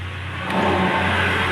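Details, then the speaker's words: Tata Zest with a rear humming noise while driving; with the rear wheel off and the hub spun by hand, a steady low hum is clearly heard. Worn rear wheel bearing, to be replaced. "അപ്പോൾ ഇതിൻ്റെ bearing പോയതാണ് ആ മൂളിച്ചയ്ക്കുള്ള കാരണം."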